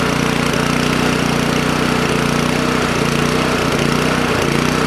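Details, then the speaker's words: Toro Power Clear 621E snowblower, 163cc OHV four-stroke, after unclogging its main jet: runs with a fast single-cylinder chatter and small irregular stumbles. Dirty carburettor, rough running; still needs a full clean. "i was just thinking like how am i going to shut it off yeah runs card needs to be clean definitely"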